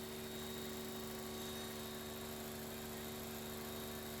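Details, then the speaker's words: Petrol engine after a cylinder 2 misfire repair, which had caused shaking and low power: on the test drive it runs steady and even, with no misfire, and the code has not returned. "After completing the test drive, no signs of engine misfire were observed, confirming that the issue has been successfully resolved."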